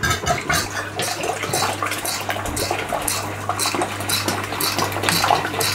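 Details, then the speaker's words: Stuart Turner piston water pump driven by a 1425 rpm motor on the old small pulley: steady low motor hum under a slow splashing, clattering stroke about two a second, measured around 125 rpm against a rated 240. "oh it's varying quite a bit but right about 125 around about 125 so it's a little bit slower than I actually thought it was"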